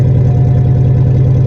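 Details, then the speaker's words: Cadillac limousine abandoned 10 years, first start: deep loud blatting drone at idle with pulsing low rumble and no muffling; catalytic converter cut out, spider webs inside; loud exhaust from missing cat. "somebody chopped the cat there's even spider webs inside of this thing"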